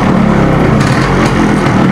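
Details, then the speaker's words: Yamaha RXZ two-stroke being revved with its silencer covered by a foot to isolate engine noise: steady even roar with no knocks or rattles or unwanted noise; healthy engine. "you can cover the silencer with your foot and then ask somebody to accelerate it so you should technically here only the system noise and nothing else"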